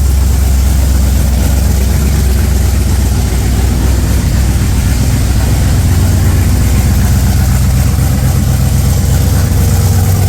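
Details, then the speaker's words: 302 V8 with Holley Sniper 2, cold start in neutral with new exhaust fitted but joints not yet fully welded; loud, steady idle with a raspy, puffing edge; exhaust leak at unwelded joints. "A bit leaky. A bit hard until I weld it all up."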